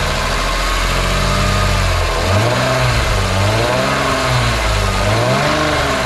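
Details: BMW E46 M3 S54 engine, warming toward 75°C oil, before an oil change to Castrol 10W60: revs rise and fall with a rough rattle through the mid range, getting louder as it warms. VANOS rattle suspected.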